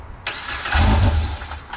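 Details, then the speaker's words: Side-by-side (RZR X3 or YXZ) wrecked in a trailer rollover: brief crank, catches with a short burst then dies within about a second; owners suspect a safety cutoff killing fuel pump or injectors after firing. "i wonder if there's a safety cut off on these or something they're not aware of that's what i was thinking new feature yeah but how would it fire unless it's just killing the fuel pump or injectors right after it fires"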